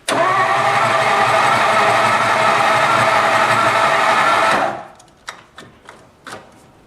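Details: 1954 Ford Skyliner, first start after carburetor rebuild: steady cranking about four turns a second that never catches and fades out, starter losing power through a poor battery terminal connection.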